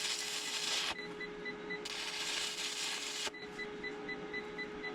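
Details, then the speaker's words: Inverter fed by two 48-volt lithium-ion batteries powering a 120-volt stick welder (6011/6013 rods): rapid high beeping, about four a second, after each weld stops; owner thinks the welder draws too many amps. "You can hear the inverter beeping after most of my welds."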